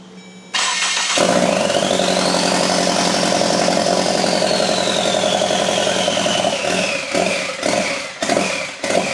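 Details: EcoBoost engine on a stand in a RWD Ford Fusion swap, first start on factory harness: cranks and catches, runs ragged with rising turbo whistle, then sags and stumbles; smoke, possibly oil in turbo, throttle codes, possibly loading up; rough running, cause unclear.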